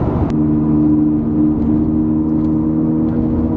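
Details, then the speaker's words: Ford Falcon XR6 after wheel bearing hub replacement, cruising 60–100 km/h: steady hum from noisy directional tyres and steel exhaust, no whirring or growl; normal wheel bearing. "that is a smooth and you gonna remember this thing has directly ties on so they are a little bit noisy but that wheel bearing noise it's all gone"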